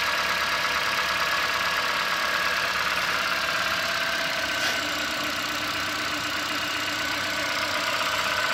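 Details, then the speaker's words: 2017 Ford Fiesta 1.6L four-cylinder, cold winter start: after brief high-idle warm-up it settles to an even idle with a faint steady whine, no knocks or misses; normal healthy running. "you can hear it's quieted down so there's the first serve up the engine it automatically speeds up a little bit warm it up and then it a little slows"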